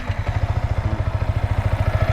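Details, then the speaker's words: Yamaha Vixion R motorcycle engine idling after repair for a ticking (klitik) noise that included a new piston: an even, low thump of about thirteen pulses a second, smooth, with no ticking left. "untuk suara mesinnya sudah halus berdampak kelopak-kelopak lagi"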